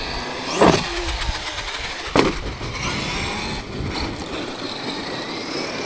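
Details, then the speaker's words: Traxxas X-Maxx 8S RC truck with GPM shock caps, GPM centre drive shaft and M2C shock pistons; two sharp clicks about a second and a half apart when steering left, something catching, cause unknown. "There, can you hear it? When you turn left, weirdly."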